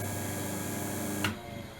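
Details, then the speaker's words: Second-hand Sherwood 12-speed bench drill press, 0.55 kW (3/4 hp), belts back on after the loose grub screw was tightened: even, low hum with no grumble or knock, quiet wind-down. Much quieter than before; normal running. "that seems pretty good for rumble but that's a lot noisier a lot quieter the noise we had previously so i'm very happy with that nice simple fix"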